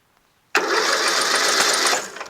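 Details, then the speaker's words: Rebuilt tractor with newly installed engine, magneto, carburetor and fuel system, on choke with starting fluid: a rough burst of firing about a second and a half, then dies; catches briefly but won't keep running. "oh kinda did it went hmm i kinda wanted to though"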